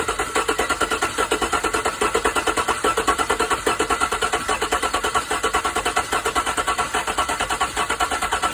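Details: 2015 GMC Sierra 5.3 V8 with a misfire on cylinder 7, running with a rapid, choppy pulsing and uneven beat.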